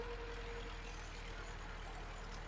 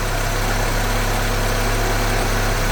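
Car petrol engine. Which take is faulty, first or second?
first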